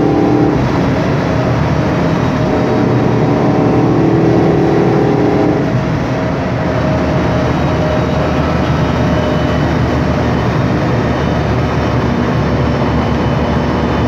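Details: 2007 MAN Lion's Classic city bus, MAN E2876 LUH03 EEV CNG engine, Voith DIWA 864.3 4-speed automatic, while driving: steady mid-pitched whine over the drive noise for several seconds, fading as road speed changes; noisy rear differential.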